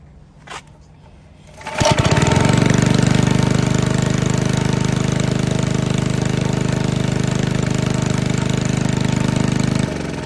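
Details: Briggs & Stratton 6B-SF four-cycle gasoline engine, 1.75 hp, 3600 rpm, barn-fresh: pulls over, catches within a second, holds a steady even chug for eight seconds, then shuts off; healthy running.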